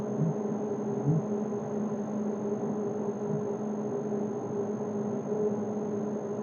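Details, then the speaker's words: Orion 5 kVA online UPS, inverter on: low steady transformer hum with faint constant high tone above, no buzzing or rattle; hum proves the inverter section is running normally. "आवाज prove करता है कि UPS का inverter section on हो गया है।"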